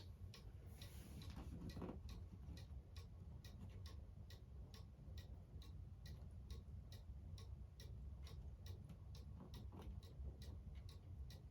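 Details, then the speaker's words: Cuckoo clock on the wall after being shifted left or right by ear: steady, even tick-tock about two beats per second, every beat equally spaced; the clock is now in beat. "It's even now. Now your clock's in beat."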